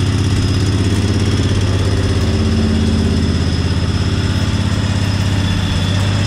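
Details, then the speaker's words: 1998 Craftsman GT garden tractor with Kohler V-twin, started with choke after fresh gas and a different battery: even, steady low twin thump at idle, no tapping or misses; smooth and healthy. "this thing has a nice sound to it really sounds like a good v2 like a harley v"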